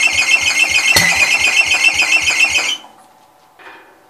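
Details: Old Cub (1953 or 1963) engine, long sat with dust inside, throttle wide open: shrill steady squeal over even low chuffing about three beats a second; owner thinks the drive belt is squealing.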